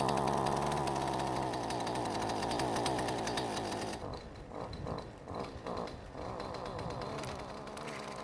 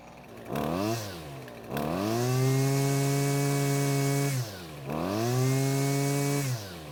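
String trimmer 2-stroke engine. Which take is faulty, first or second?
first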